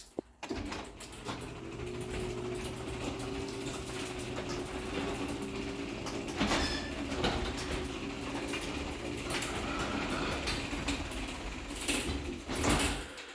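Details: Linear LDCO 850 chain-drive garage door opener: a quiet motor hum under chain-on-sprocket rattle, which is normal, plus loud scraping, creaking door travel; the door itself is loud and is thought to need lubrication.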